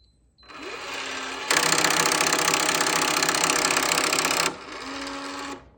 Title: Schlage connect lock making loud clicking noise